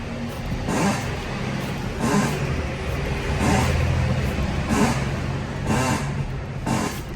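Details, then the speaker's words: 2008 Fiat Palio, 1.4 Fire engine, 192,000 km, idling. Creaking clunks about once a second when turning the wheel, like an old door, from a worn steering box with play. Power steering oil contaminated; box to be rebuilt, tie rod ends and ball joint replaced. "Defeito na caixa de direção."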